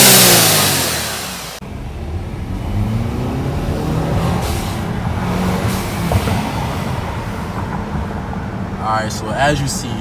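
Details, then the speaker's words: 2013 Audi A4 2.0T with newly installed ECS Tuning atmospheric diverter valve, revved: engine revs and drops, then a fluttery chatter and loud whoosh of venting air on each lift; normal turbo flutter and blow-off vent. "this sounds absolutely amazing when you're driving you can hear a tab and a flutter and from outside the car all you hear is that W valve that beautiful uh atmospheric Val noise that it makes"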